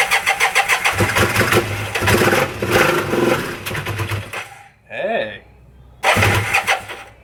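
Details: Kawasaki KZ400 first start in over 30 years, new B8 plugs, 10W-40 oil, about three seconds of starting fluid per carb with butterflies open: starter cranks, rough quick pulses, dies, fires again; engine starts and runs.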